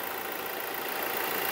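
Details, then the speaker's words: 2017 Toyota Hilux diesel after its engine seized under 180,000 km and was replaced rather than rebuilt: short, steady, even hum with no knocks or misses; idles smoothly. "o motor funcionando redondinho lembrando né você já compraram vindo esse motor não foi montado retificado ele foi trocado"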